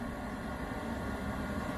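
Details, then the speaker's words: Diesel heater running normally at full output after being taken apart and its clogged atomizer screen cleaned: steady even fan roar with smooth low combustion rumble, no surging, quieter than before; fan then steps up as glow plug shuts off, current draw 0.5–0.6 A. "i don't know if you can hear this now it's going full but that's that's normal that's supposed to be like that just not as loud as it was before"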